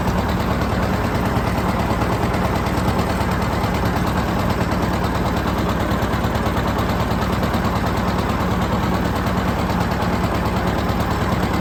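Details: John Deere 730 two-cylinder tractor pulling a John Deere RWA disk, disking ground for soybeans: deep, even popping beat holding steady under load, running clean; normal running.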